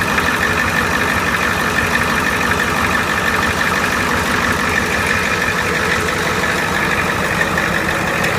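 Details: Engine at steady idle with smooth low rumble and no belt squeal or chirp; sounds healthy.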